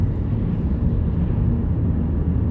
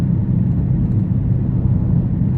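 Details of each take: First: Car on test drive after replacing worn rear wheel bearing: smooth, even low tire roar at steady speed with no droning or growl; bearing now healthy, just normal tire road noise. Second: Car with a rear wheel bearing noise, suspected passenger side, while cruising: low steady droning hum under road rumble that gets louder turning right as weight loads the left side and quieter turning left. Worn wheel bearing.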